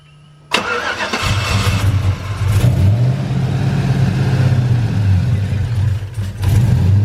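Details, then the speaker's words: Cammed 5.3 LS V8 (big cam) in a truck, first start after install: cranks and catches, then lumpy, uneven low rumble with wandering beat; rough running on first start, later settled to run decently. "Really pissed off. Huh. It sounds pissed off now."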